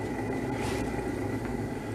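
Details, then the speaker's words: 1968 Bridgestone Chibi mini bike after about 30 years outdoors; hand-spun wheel with bearings freed up with light oil gives a steady, dull, rough growl, no clean rolling note; worn, growly wheel bearings judged still serviceable. "was the one that was doing it good you could hear the noise in them you know they're kind of growly but that'll probably last a long time on this bike"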